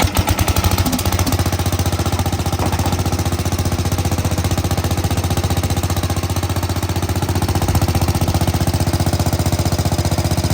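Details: Sears Suburban 15 mower engine restarted after fitting a brand new fuel pump, fuel filter not yet reinstalled: steady even thumping about three beats a second, no misses or surging; normal running.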